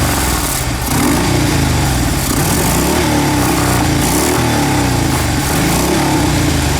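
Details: Fuel-injected Harley-Davidson V-twin after the intake was cleaned to fix stalling at idle and an over-rich rear-cylinder P0152 code; a loping, uneven thump holds steady, and it now idles on its own.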